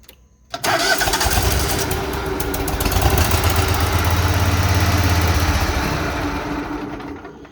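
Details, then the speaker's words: Husqvarna zero-turn mower that cranked but wouldn't start after its stuck starter was freed, run on brake cleaner: fires abruptly, runs rough for a few seconds, then fades out; starts then dies, fuel issue suspected, carb next. "starts and dies so we got a fuel issue now"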